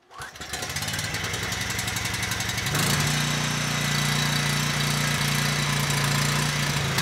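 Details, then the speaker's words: Husky HU905000 generator's Subaru EX engine, just after an oil change showing likely water contamination: catches after a rough start, then a fairly even single-cylinder beat stepping up near three seconds; took four or five pulls, stalls without choke, carburetor problem suspected. "the carburetor definitely has issues though it took a good four or five pulls to get the engine started"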